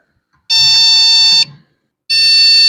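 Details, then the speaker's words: Desktop PC at power-on that won't boot: long, steady shrill beeps with gaps between. POST beep code from a faulty RAM module; replacing the RAM fixed it. "I know you can see a big sound which usually means a हार्डेबल issue"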